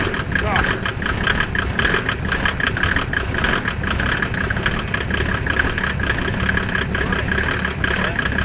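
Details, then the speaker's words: Mercedes OM606 diesel in a Land Rover build just after its first start, microphone near the exhaust: steady, even idle clatter with no misses or knocks; sounds healthy. "Wow, guys, that sounds really good. I just put the mic near the exhaust."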